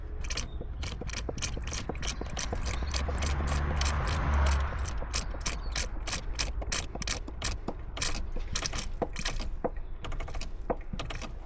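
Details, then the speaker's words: Renault Espace IV 2.0 dCi 130 hp, after diesel fuel filter change, priming with hand pump: quick crisp hollow pumping clicks about twice a second; filter still full of air, keep pumping until only diesel comes out. "donc on va venir vidanger tout l'air là on entend qu'il encore plein d'airent quand on appuie ce soit que du gazoel qui sort parce que là c'est pas assez"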